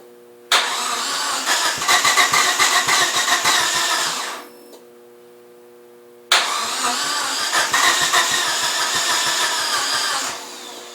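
Two long bursts of steady, rapid starter cranking, each around four seconds, with no catch or firing; it cranks but won't start.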